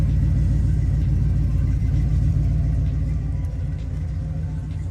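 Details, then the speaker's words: Lifted 1978 GMC Custom Deluxe with Flowmaster 40 series true dual 3-inch exhaust: deep, even burble at idle, steady low rumble, no knocks, ticks or misses; engine sounds pretty good. "the engine sounds pretty good."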